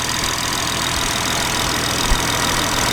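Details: BMW G30 B58 idling after camshaft follower (fuel pump tappet) replacement: steady, even idle with a smooth hiss and no ticking or misses; the valvetrain sounds quiet and healthy.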